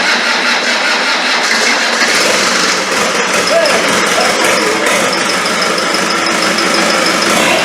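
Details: Land Rover 300Tdi diesel, freshly rebuilt, briefly charged battery, injectors tightened: slow cranking catches within seconds, then steady clatter settling to an even idle, burning off excess smoke; turbo hose not fitted; slight chirping at front.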